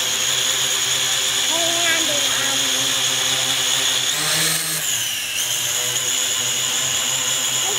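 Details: Syma X8 Pro GPS drone after crash repair of a broken-off wing/pylon, earlier caused by a failed motor: after pairing and calibration, all motors give a steady, high-pitched buzz that dips and rises with throttle; smooth and even, healthy.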